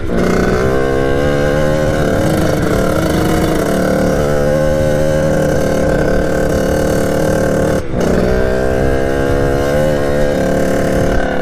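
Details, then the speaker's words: 1989 Kawasaki KX80 two-stroke, big-bored to 110, at full throttle while riding. It holds a flat, steady drone and never climbs to a high-rev scream, lacking power. Owner suspects jetting or something slightly off. "well that's the bike for you guys I went through everything I don't know what it could be either jetting or something's a little bit off"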